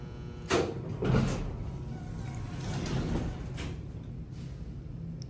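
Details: Original 1970 Houston hydraulic elevator door mechanism (cab redone, pump motor replaced). Two soft rumbling sweeps as the door operator drives the panels open and shut, smooth, with no scraping or banging; normal door operation.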